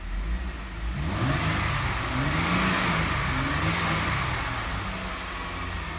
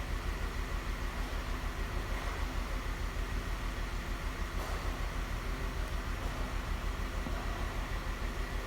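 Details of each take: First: 2012 Jeep Wrangler 3.6 Pentastar, after a P0303 cylinder 3 misfire was repaired by replacing the broken coil connector: revs rise and settle smoothly, and the scan shows zero misfires on all six cylinders. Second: 2012 Jeep Wrangler 3.6 Pentastar at idle, before repair: regular stumble a bit over twice a second under a low rumble; P0303 misfire on cylinder 3, with the cylinder 3 coil connector found broken.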